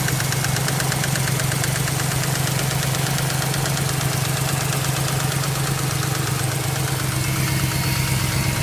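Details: BMW X5 at idle: a steady, sharp engine knock about three times a second; cause unknown.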